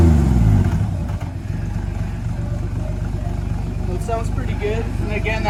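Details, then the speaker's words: 1954 Ford F100, factory 223ci six, stock exhaust setup with a Smitty's glass pack, revved while parked: deep throaty burble with steady pulses and smooth rise on revs; healthy exhaust note. "that's that's just the stock setup with the uh Smitty's glass pack in it"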